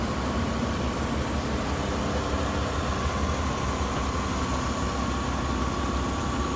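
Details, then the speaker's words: 2004 Hyundai Santa Fe 3.5L V6, 198,000 miles, engine and transmission: smooth, even idle with a steady low hum, no knocks, ticks or misfires, no smoke; runs excellent, healthy engine. "Stock number 190318. Santa Fe. 3.5, runs excellent. 198,000 miles."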